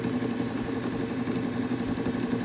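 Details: Vintage Viking Husqvarna 33-10 sewing machine after full cleaning, tension unit repaired with home-made spring and straightened lever: steady, even whirring hum with soft fast patter and no knocks; running smoothly.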